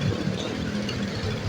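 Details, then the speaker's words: Freshly rebuilt Honda Beat POP 2-stroke scooter engine, first start after ECU reset, oil recently changed: starts easily, low steady putter at idle with no knocks or misses, running normally. "Oke motor hidup normal hidupnya mudah ya teman-teman"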